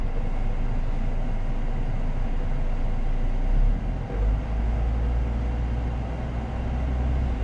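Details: Citroen C4 Grand Picasso started up right after an engine oil and oil filter change, oil just below maximum: low, smooth, steady idle rumble with no ticking, knocking or hunting; engine running fine.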